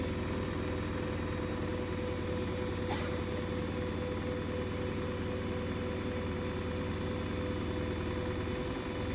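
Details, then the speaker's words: New Hoover DXC C49W3 washing machine (9 kg) spinning a half load, meter near 80 dB with an 88 dB max: loud steady roar with a heavy low hum throughout; excessively loud spin cycle, cause unclear. "case that's not on no washing machine should like be nearly 80 DBS was Welly SP"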